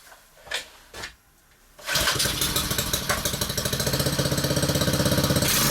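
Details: Honda-engined whacker plate with the centrifugal clutch removed, on a cushion: catches after two pulls into an even, steady tickover with no tinkling or rattle; healthy running, confirming the loose clutch as the noise source.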